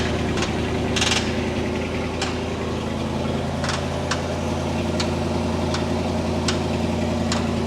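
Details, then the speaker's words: 1960 Chevy Brookwood wagon engine, revived after sitting about 20 years, with a rebuilt carb, new points, electric fuel pump and manual choke; it idles smoothly but knocks badly, an irregular ticking knock over a low rumble; owner suspects rod knock. "and it runs smooth it just knocks really bad so I want to pull that valve cover"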